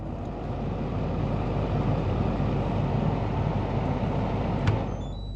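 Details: Kenwood KFF2DS14 fridge freezer after repair of a buzzing, vibrating freezer fan, refitted with the original factory fan motor: a steady even whoosh of air with no rattle or buzz.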